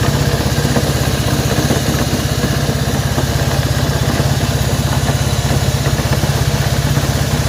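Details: Honda CB190R single at idle with a rough, uneven patter and a tinny rattle riding over the beat; abnormal engine noise, cause still unclear.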